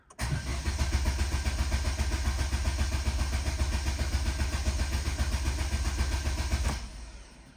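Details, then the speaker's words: Vauxhall Astra Excite salvage rebuild, 89,078 miles, codes 59 and 24, battery charged overnight: starter spins engine with even compression pulses about four a second but it never fires; owner suspects it isn't getting fuel. "Right, okay. That's not a good sign. Let's just try that one more time."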